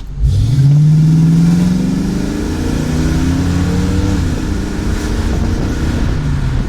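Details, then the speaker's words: Classic car "Katy" after vacuum leak fix; full throttle, deep note climbing smoothly, no stumble; normal full-throttle acceleration. "Okay, full throttle, hit it."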